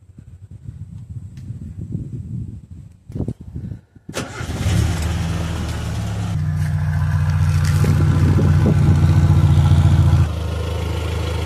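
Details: 1996 Suzuki X-90 petrol engine starting and idling with a low puffing, grumbling exhaust beat; owner suspects an exhaust leak but couldn't locate it at the front, not confirmed.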